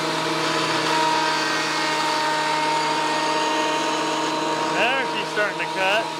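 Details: WEN PL1326 15-amp 13-inch spiral benchtop thickness planer after repair of damage from misuse, feeding a small board: steady high motor whine with smooth even cutting hiss, no chatter or knocking; cutting normally again.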